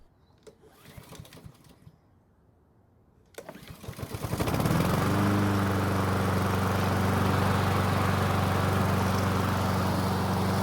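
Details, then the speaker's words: Free Honda walk-behind mower after no-start repair, fresh 100% ethanol-free gasoline, no manual priming needed; rope pulled twice, engine catches and settles into steady even chug about four beats a second; normal cold start. "so it did take two pulls on the Rope to get it to start but at least we did it without needing to physically Prime the engine like we did earlier so I consider this a good repair"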